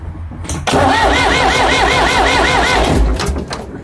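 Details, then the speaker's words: Ford 555 backhoe diesel after head reinstall, injection pump air-bound from a plugged filter, being bled step by step: starter cranks at a steady even rhythm, engine turns over without firing while air is purged from injector lines. "I have the pump air bound. Must be because it was sucking air from the filter being plugged. So, we got to bleed this, too."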